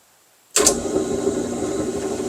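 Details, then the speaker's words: Delta drill press with 1/3 horsepower motor, little used, replacing a vintage Homecraft: motor snaps on and settles into an even hum with faint high whine, no rumble or knocking, pretty smooth; normal running. "Pretty smooth. Pretty smooth."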